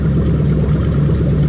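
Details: Lexus LS430 3UZ-FE VVT-i V8 on a new test engine harness, zero trouble codes after the injector and coil checks: steady, even low idle rumble with no knocks, stumbles or ticks; the engine runs cleanly.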